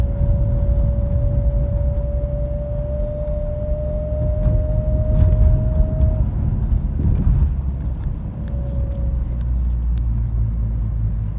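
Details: BMW X3 E83 while driving: thin whine starting around 45 km/h, gone by 50, rising slightly over road rumble; speed-related only, not wind or air conditioning; source unknown.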